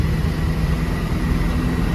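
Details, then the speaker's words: Squarebody V8 floored, running and shifting well but bogging with a flat drone that never climbs. The exhaust is not clogged and a timing adjustment did not help. "So why is this thing so boggy? I still have yet to find out."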